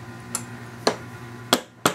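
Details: Escape-room mag lock controller with five reed switch modules on 0.75 m cables: sharp single clicks at irregular intervals, about four in two seconds, on a quiet background, as the lock is activated and deactivated; the relay switches cleanly and normally.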